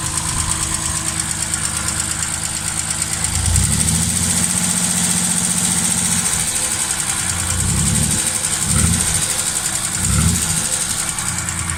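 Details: Triumph straight-six before its rebuild: idle with a hollow, rapid knock that grows louder as revs rise, first thought to be tappets or rocker shaft but found to be piston slap; fixed with new pistons and a balanced crankshaft.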